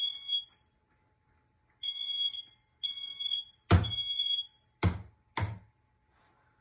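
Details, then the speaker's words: Hallway smoke detector tested with Smoke Sabre aerosol spray: loud piercing high-pitched alarm bursts with hissing spray bursts; detector responding to test smoke as it should. "So you shake it like that, and you spray it like this. Ow. So it'll go off."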